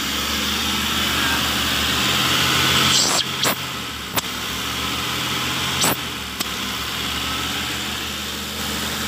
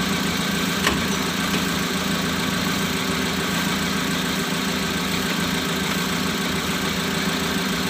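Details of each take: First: Mitsubishi Colt 120 SS pickup, idle over 2,000 rpm and oscillating: high idle with a slow rise and fall over a steady hiss and sharp clicks; hunting idle, throttle body stepper motor/idle speed control suspected, not confirmed. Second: Mitsubishi Colt 120 SS pickup with idle hunting and rpm stuck above 2000, after adjusting idle with a flat screwdriver: steady even idle, low hum, no dips or knocks, settling from about 1000 to about 900 rpm, target 750-800.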